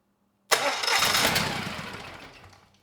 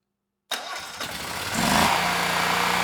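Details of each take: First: Generac XG10000E generator, about 10 years old, only 12 minutes' run time, fuel left in carburetor, choke off, dry NGK BPR6HS plugs: catches with a sharp burst, runs rough about two seconds, fades out; carburetor delivers no fuel to either cylinder. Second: Generac XG10000E after its gummed carburetor was cleaned, needle and seat working, airbox not fully assembled: silence, a short crank, then it springs to life and settles into a steady even hum; choke turned off right away, running cleanly.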